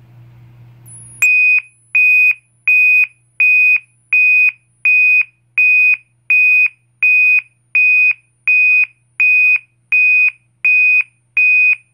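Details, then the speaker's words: System Sensor MASS121575ADA sounder, 2400 Hz interrupted tone set by inserting clips A and B: shrill high beep pulsing steadily, a bit over one per second with short gaps; normal interrupted tone pattern. "next tone is 2400 Hertz interrupted and that tone is generated when you insert Clips a and B so here we go"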